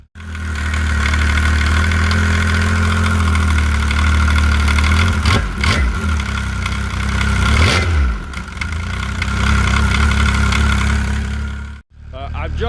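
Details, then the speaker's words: Arctic Cat ZR7000 snowmobile, 1049cc Yamaha engine, original Arctic Cat primary clutch with worn arms, before rebuild: loud idle with heavy low drone and rattly clatter through two throttle blips. "i've did a short short video on how loud my clutch my original arctic clutch was with worn arms in there"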